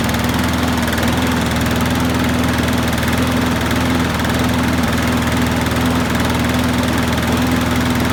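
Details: Qualcast rotary mower after carb gasket and diaphragm replacement and new Torch spark plug: steady, even single-cylinder drone with strong low hum, no hunting or shaking, maybe a touch slow; oil burning off after tipping; runs smoothly.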